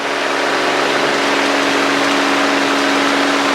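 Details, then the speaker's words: 1964 Cessna 210D, IO-520 285 hp, full mixture at 2500 rpm during takeoff climb: loud, even roar with steady drone, no surging or misses; normal takeoff power, gauges and temps good. "Okay. 2500 RPMs. That's healthy. That's fine."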